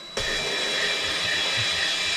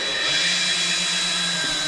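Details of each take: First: 1965 Chevy Corvair flood-damaged engine rebuild, valve lapping with drill and grinding compound: steady drill whir with even, smooth grind and no chatter or catching; valve lapped in, seat in good shape with no burrs. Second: Drill-driven valve lapping with grinding compound on a rebuilt 1965 Chevy Corvair engine: steady high motor drone with a coarse gritty rasp as the valve grinds on its seat before turning smooth and needing more compound.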